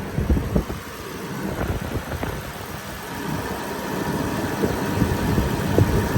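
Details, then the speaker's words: 2006 Range Rover Sport HSE with overheating problem, idling about 15 minutes after cooling work, hood open, fan blasting: even low idle rumble with a few light clicks from the bay, no knock, misfire or squeal; engine sounds good. "engine sounds good fan is on blasting"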